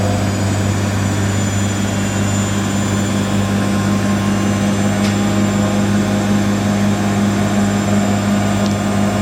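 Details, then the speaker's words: Siemens IQ300 WD14H320GB/02 washer dryer (7kg wash, 1400rpm max), bought listed as noisy on spin, on a Cottons 90°C cycle: intermediate spin at 1,000 RPM, steady even hum with no rumble or grinding, very smooth. "So 1,000 RPM for all the intermediate spins. Very smooth spinning that is though."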